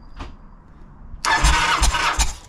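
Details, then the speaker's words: Kawasaki VN900 bobber non-runner, ECU checked with no faults or codes, cranking: starter churns in a few uneven pulses for about a second, engine never catches; spark now present but no fuel getting through, fuel supply fault. "okay that is one thing less to worry about so that Bloody key ignition jobby is doing its job so we've now got to figure out why we're not getting fuel"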